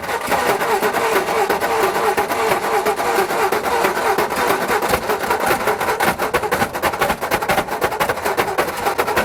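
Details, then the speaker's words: 1960 Ford F-350 sat 34 years, on replacement carburetor with no idle adjustment: engine just caught, stumbling with ragged uneven firing and no steady idle; carburetor dumping fuel, flooding it. "What a gnarly noise. That is unnerving. It's this carburetor. It's not going to work."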